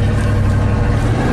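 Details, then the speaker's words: 1987 GMC 1500 plow truck V8, previously misfiring and stalling when warm under load; the original ignition control module, cap and rotor were replaced. Scope shows the EST signal coming online as revs rise; a deep, steady rumble under load with no stumble. "see that EST signal comes online once the engine revs up oh yeah what does Eric go see that's Chevy thunder right there"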